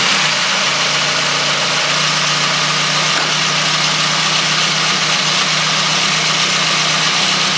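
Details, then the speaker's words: VW Golf 2 GTI with Digifant injection, after replacing injectors, injector harness and fuel filter; now steady, even idle with a smooth unbroken hum, no misses or stumbles: engine running normally. "elle tourne normalement elle est possédée cette voiture elle est possédée"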